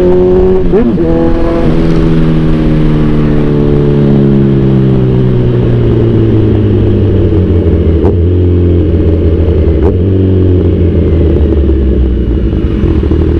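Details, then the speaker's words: Kawasaki Z1000R after backfire-removal remap, riding: engine pulls up through revs then winds down smoothly on overrun with no exhaust pops or bangs; 2nd and 3rd gear backfire eliminated. "for me okay na okay Yung gawa ni FJ enjoy natanggal niya yung backfire ah sa Segunda at saka tersera natin ni Zeus"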